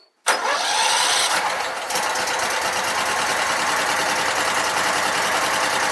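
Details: Sears Craftsman mower, Kohler Command engine, after no-spark repair, clutch wire fixed, new fuel and new spark plugs: catches at once and settles into a steady, even run with no misses or stumbles; healthy.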